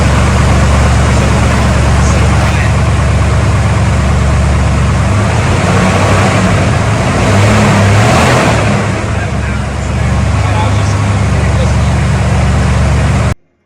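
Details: 1991 Ford F-150 4WD, 302 V8, E4OD, after cheap refresh for tap and bottom-end rattle, suspected bad valve guide seals; steady low rumble with slight lope, no clear tap over exhaust, though noise judged about the same.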